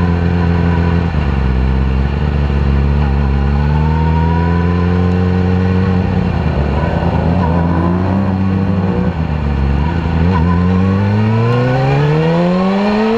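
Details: 2010 R6 four-cylinder revving up and down, lumpy and uneven through the rise; misfire found to be bent valves in cylinder 4, leaving the bike running on three cylinders.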